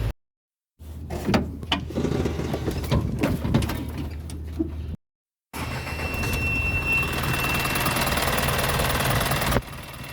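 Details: Isuzu Reward diesel engine running with AC on: thin, steady high squeal on top of the engine note from a slipping, noisy drive belt under AC load.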